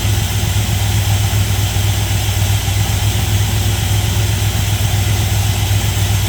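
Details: 1977 GMC Sierra Grande, small-block Chevy 350 V8, after valve and roller rocker adjustment: deep, even burble at steady idle with no ticks or misses. Idle is normal and smooth; slight dieseling at shutoff is suspected from carbon or carburetor adjustment.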